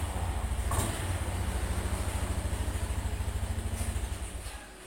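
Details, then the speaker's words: Warm Honda Scoopy scooter, engine oil temperature 69 °C (idle-stop needs above 60 °C), idle about 1500–1750 rpm: steady low idle fades out as the engine shuts itself off 3 s after the throttle closes. Normal idling-stop function. "Motor ini setelah gas kita tutup itu selama 3 detik dia akan langsung mati otomatis, dan ketika digas langsung hidup."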